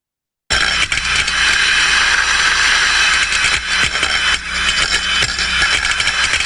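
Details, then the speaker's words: Ultrasound recording of a free float steam trap: steady hiss modulating up and down as condensate is ejected, broken by sharp irregular metal-on-metal knocks as the loose float bangs against the trap body. "you can also hear in the sound recording that metal on metal impacting and that's where the float is just floating around on the bed of condensate knocking against the sides"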